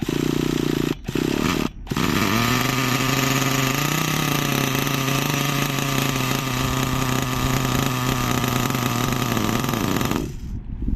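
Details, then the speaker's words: Nitro RC engine with needles reset, warming up on throttle trim with no idle set: it blubbers and stumbles, drops out twice, holds a rough buzzing rev, then dies. Mixture is far too rich and floods with fuel. "So, that's awfully rich. That's what's happening there. I tried giving it some throttle and it's just flooding with fuel."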